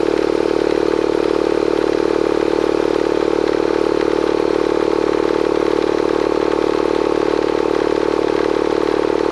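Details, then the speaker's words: Bostitch/Stanley air compressor after fixing a leak near the regulator with pipe tape and pipe dope and tightening the regulator top: steady, even motor drone with a fine regular pulse, no hiss or knock; normal running. "let's plug it back in and fire it up thing runs great"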